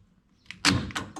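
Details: Cheap no-name central locking kit being bench-tested for a 1951 Chevy Fleetline: the door lock actuator gives quick, sharp, even clunks in short pairs on lock and unlock, working properly.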